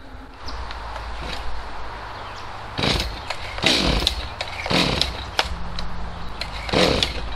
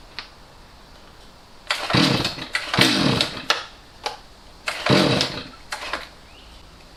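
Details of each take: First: Stihl MS250C chainsaw after fitting a brand-new out-of-box carburetor, mixture screws unadjusted: steady two-stroke idle with clean throttle blips that rise and fall smoothly. Normal running. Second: Stihl MS250C chainsaw that sat years with bad fuel, its carburetor cleaned and rebuilt with the L and H screws turned out, no change: it barely idles and each throttle squeeze gives a sagging blat instead of a clean rev. Bad carburetor, bogging on throttle.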